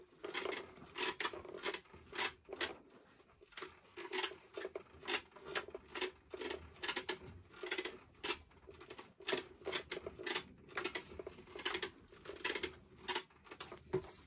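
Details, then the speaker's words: Leaperkim Sherman electric unicycle, powered on and rocked back and forth: sharp metallic clink-clink about twice a second with no motor hum. The bolts seemed tight when checked, but the noise is a loose axle bolt knocking, to be tightened. "but when you turn it on and you start rowing it it makes a funny noise it's all shaky clink cling Noise"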